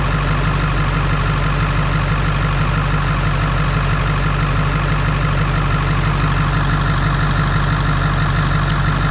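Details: Ford 7.3 Power Stroke diesel idling after fixing a battery connection that caused slow cranking with one battery carrying the load: loud steady clatter about three beats a second, no misses or knocks; 14.37 V on both sides.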